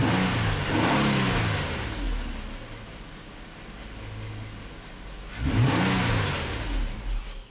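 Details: 2010 Nissan Maxima that intermittently stalls and blows a fuse, revved in parking lot while current is scoped: revs up and falls back twice, then fades; engine stalls after revving.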